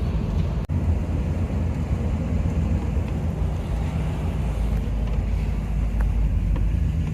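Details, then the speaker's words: 1967 Chevy Caprice revived after 15 years abandoned, on test drive after master cylinder and brake service (brakes still need adjusting); steady deep rumble, even pulling, no knocks or misses under wind noise; running well. "It's running good. It's driving pretty good."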